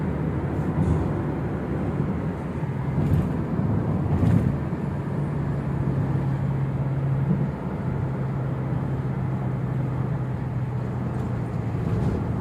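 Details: Toyota Innova Reborn on a toll road at 100 km/h after removing the roof rain gutter (talang air): steady low road and engine drone with no whistling or rushing air; the usual wind noise is gone, so the owner suspects the gutter causes it.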